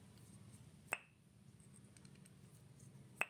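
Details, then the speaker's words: Honda Vario carburetor first generation, valve stem seal test: pulling the valve through a new stem seal gives two crisp pops about two seconds apart, showing a tight good seal; the installed seal made no sound and was worn. "Harusnya bunyinya seperti ini. Ini masih bagus."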